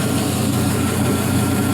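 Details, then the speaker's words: 4.8L Gen 3 LS V8, 175k miles, new lifters and new starter, on test stand warming up, oil pressure 40-50 psi: even idle around 700 rpm, no ticking or knocking; quiet, no lifter noise, healthy. "brand new starter there nice and quiet no lifter noise brand new lifters on there"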